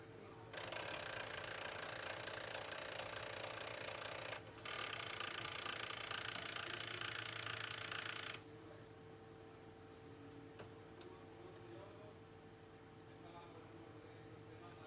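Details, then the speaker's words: Sony MDS-JE510 MiniDisc deck at power-on: harsh, fast gear ratcheting for several seconds, then quiet; suspected carriage not detecting an end-of-travel switch, so it keeps trying to eject the disc. Not confirmed. "el problema que presenta este lector de medidas es son ruidos de engranajes a la hora de encender da la sensación de que el carro no está detectando algún final de carrera"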